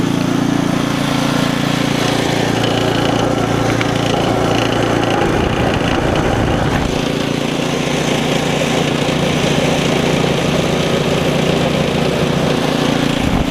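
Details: Ariens ST724 snowblower, single-cylinder engine, running after impeller bearing replacement with auger engaged: steady even chug with auger whirring underneath, no grinding or rattles; runs healthy.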